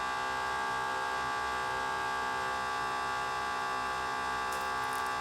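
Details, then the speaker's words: Mercedes E55 rear-mounted intercooler electric coolant pump, about 30,000 miles of constant running: loud, steady high squeal and hum with minimal flow, worn pump to be replaced with a new Rule 2000. "You hear the loud squealing? Like, it still has some flow. Not too much. Basically, the flow is going to roughly right here, and it's making a horrible, horrible noise."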